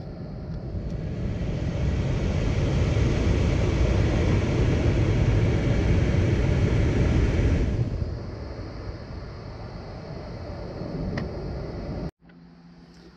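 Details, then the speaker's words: 2002 Mercedes-Benz C240 (W203), HVAC flap stepper motor under dashboard after replacement: quick repeated knock about four per second as the actuator runs; owner suspects the new actuator skips from too much play versus the original. "so I ended it ended up taking it apart again I think I know what the problem is that clicking sound"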